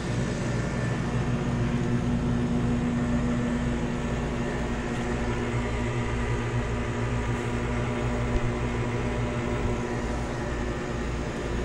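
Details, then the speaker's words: 2019 Bryant Preferred Series air conditioner outdoor unit in 98°F heat: low, steady electrical hum, condenser fan spinning extremely slowly, compressor not running, line not cold; a failed capacitor, later replaced under warranty. "Yeah, that line is not cold at all or sweaty. Looks like the fan is spinning extremely slow. I'm not sure if the compressor is running or not."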